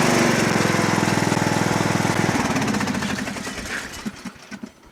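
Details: Lawn tractor, started before sale: even, steady single-cylinder putter at fast idle, no misses or knocks, fading as mic moves away; normal running.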